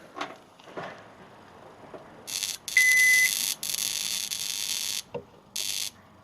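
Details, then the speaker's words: Sharp R-350E inverter microwave, opened with power on: loud, harsh high-pitched buzzing in on-off bursts with visible flashes, traced to the power supply relay on the incoming 240 V circuit, not the magnetron, waveguide or HV transformer. "on gosh that is loud right so I've actually isolated it's not the magnetron"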